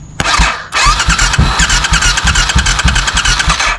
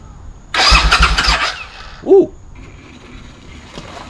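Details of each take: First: 20-year-old barn-find Suzuki Intruder V-twin motorcycle, 18,000 miles, in neutral, starter solenoid jumped directly: starter turns engine in steady rhythmic chugs for about three seconds but it never fires; cranks, no start. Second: Barn-find Suzuki Intruder motorcycle, about 20 years old with 18,000 miles, cranked without carburetors or fuel tank fitted: about a second of quick, even, free-spinning cranking with no firing, and gasoline sprays out, but it cranks normally.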